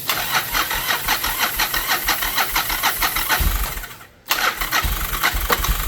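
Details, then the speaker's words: 1995 Yamaha Virago 1100 V-twin after 12 years unused, with carbs cleaned, brake master cylinder rebuilt and spray put in the intake. Fast, regular cranking, a pause, then more cranking as the engine begins firing; its first start in 12 years. "Well, guys, it runs, huh? First start in 13 years. No, 12 years."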